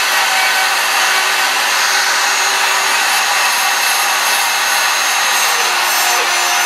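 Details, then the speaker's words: Router under cut with steady motor scream and a thin high chirp riding on it; bearing likely going out on a heavily used sign-carving router that has carved thousands of signs, still running. "I hate to tell you this son but I think the bearing's going out on that router yeah yeah that router is on its last legs yeah you could you could hear it chirping"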